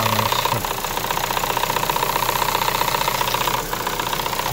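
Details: Chevrolet Sonic 1.8 with fluctuating idle and camshaft codes (P0366), after new cam sensors were fitted; light fast ticking about four per second over steady idle.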